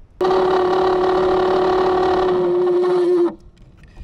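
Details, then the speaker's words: Used Ford blower motor bench-tested off the truck on direct voltage; steady hum with a gritty, uneven edge, not as smooth as the other fan — rough-running blower motor. "yeah that fan doesn't sound near as nice as this one does"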